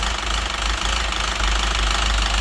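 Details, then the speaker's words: Citroen DS3 1.6 petrol with unstable idle and diesel-like clatter, codes for rich mixture, O2 sensor and cam phasing, engine run low on oil: fast constant metallic clatter at idle; suspected camshaft wear that an oil change won't fix. "Поэтому в распредвалах там выработка бляд поэтому замена масло уже не поможет"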